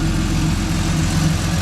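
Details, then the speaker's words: Turbocharged 3800 L67 Camaro with custom exhaust, warmed up after loud cold ticking fixed: even steady idle, deep smooth rumble, no ticking, slightly tinny; engine running cleanly. "Sounds good. Sounds good. Yep, sounds good. Very deep. Kind of tingy."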